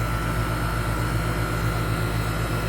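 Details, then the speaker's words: 1998 4-ton 10 SEER R-22 condenser, new dual-run capacitor; compressor loading up, low side 76-77 psi rising, superheat 40-42°; deep steady hum and smooth drone, no rattles; normal running. "Yeah, you can hear that compressor. It's loading up right now with refrigerant."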